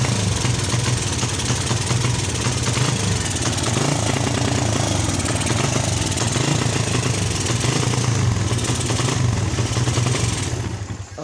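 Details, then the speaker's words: Suzuki Satria FU motorcycle that stutters and won't ride, though its plug looks dry and fine and the carburettor was serviced: the engine runs roughly and stutters, misfiring instead of revving cleanly. "Oke, kita cari penyebabnya. Di mana letak penyebabnya? Suaranya seperti itu, tersendat-sendat ya."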